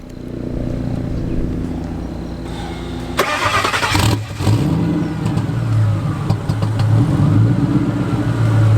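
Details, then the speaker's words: Single-turbo Ford 5.4 2V with head work and 3.27 rear gear catching after a short crank. It settles into a smooth, even, low, tame idle with no knocks or misses: normal idle. "it's pretty tame does it sound like anything crazy but it's very fast and it's very unassuming based off just how smooth it idles"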